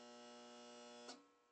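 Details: Whirlpool ACQ122XK0 window A/C, about 15 years old and mostly stored, that ran cold for 5 minutes and was then shut off: it gives only a low steady hum on all settings with no fan, and the compressor tries but fails to start every several seconds.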